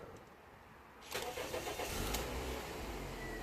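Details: 2001 Toyota Yaris 1.3 petrol, P1310 igniter code, start-then-stall fault after tampered ECU plug wires repaired: quiet, then catches cleanly and settles into steady idle without stumbling; starts and stays running.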